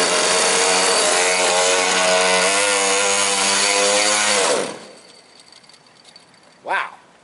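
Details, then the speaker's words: Quarter-scale GT40 with a liquid-cooled marine engine, run on a damp parking lot: the idle is busy and slightly wavering for a few seconds, then the engine stalls abruptly; owner thinks the idle needs setting, stall cause unknown. "She's, I think the idle needs set a bit."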